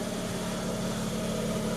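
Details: Mazda RX-8 rotary, first start after engine rebuild and reinstall; steady buzzy idle holding an even pitch with no stumbles or knocks; the rebuilt engine sounds healthy at idle, with no check engine light.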